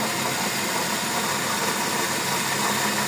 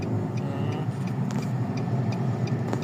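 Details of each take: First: 2020 Nissan Almera CVT automatic, in limp mode after an oil change outside the dealer: steady drone with faint constant hum from worn transmission bearings while running. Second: 2020 Nissan Almera automatic transmission after replacing a noisy bearing: smooth, steady driving rumble with no whine or growl rising with speed; transmission sounds healthy.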